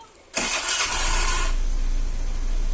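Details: 2013 Honda Beat scooter after fitting a universal keyless remote module: short starter burst, engine catches straight away and settles into a steady, even idle; clean, healthy start.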